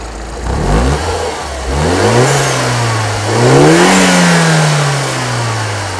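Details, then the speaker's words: Auction car being revved with some smoke at the rear and a slightly chugging note. Revved in blips, a light rotational tick speeds up and grows louder higher in the rev range; cause unknown, possibly normal for the model. "there is definitely a rotational tick to that engine as you get higher in the rev range"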